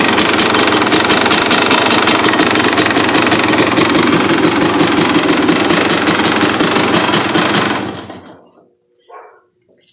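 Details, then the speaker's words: 2002 Honda CR250R two-stroke at idle: fast crackly idle with a light tick riding on the firing beat before shutoff; owner suspects a tick low in the engine, has always had it, runs fine, plans a top-end rebuild to see if it goes. "let me know if you can hear that little ticking down in the engine I think it's got a tick but let me know what you think"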